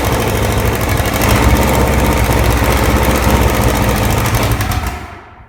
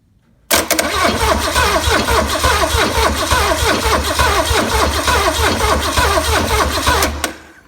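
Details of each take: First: Original, very-low-mile 1968 Buick 430 V8 (ex-'68 Riviera) after fixing a bad ground at the distributor points, first run in decades: it catches and runs with a steady, even beat and no misfires, then shuts off, firing on all cylinders. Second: Low-mileage, never-overhauled 1968 Buick 430 V8 from a '68 Riviera, first start attempt in decades with gas poured into the carburetor bowl; starter cranks steadily about four beats a second for seven seconds, never catches; crank no start, no spark.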